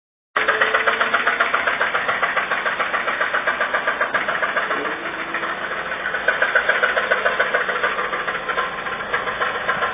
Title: Toyota Rav 4 - 1AZ Engine Knocking